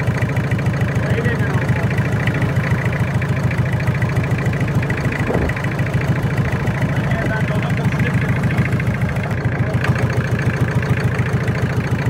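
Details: Toyota 7K engine idling: steady low idle with a regular beat about three per second running through it, an unexplained engine noise.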